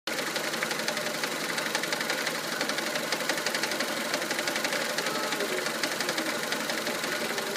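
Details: 1999 Mitsubishi Pajero iO with 4G93 engine at idle: light rapid knocks, about three per second, keeping time with the engine. Owner suspects the crankshaft pulley, which visibly wobbles, but is unsure.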